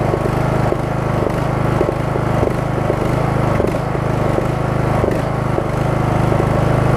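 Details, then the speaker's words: Craftsman single-cylinder riding mower, cold start after deck belt, blade engage cable and return spring work: steady thumping with a soft, rhythmic rise and fall about three times a second; surging for about a minute while warming up, then runs great. "you're gonna hear that it's pulsing for maybe about a minute or so as it warms up once it warms up runs great"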